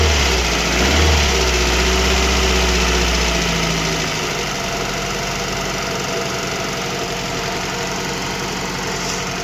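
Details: VAZ 2115 with a 1.5 injector engine, fully cold, after a cylinder head swap with valve clearances already set: a steady, even tick about four times a second at idle; piston slap or camshaft is suspected. Cause unconfirmed.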